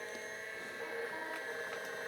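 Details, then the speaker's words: IBM PC XT 5160 that would not turn on, now with all cards and drives reconnected: quiet, steady hard drive whine with soft ticks and no grinding or scraping; the drive spins up normally. "okay everything is connected let's try this again hard drive is spinning up"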